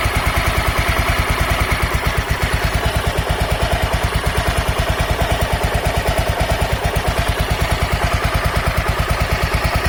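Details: Honda NX 250 Dominator single at steady idle after the tensioner was found to be the cause of its noise: even thump with a light valvetrain tick and no chain rattle. Normal running.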